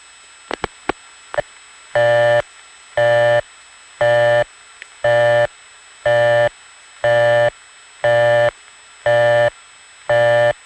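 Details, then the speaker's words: 1970s Prince William County, Virginia step-by-step exchange call routed by trunk: a few line clicks, then a steady tone pulsing on and off about once a second, a busy signal. "here's another one like that except it gets a busy"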